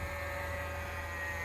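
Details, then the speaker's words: Carrier mini-split ECM blower motor run on a VFD, raised to 180 Hz: steady electrical buzz with low hum and thin high whine, no rotation; motor lost sync and stalled. "She's singing. Oh, lost sync."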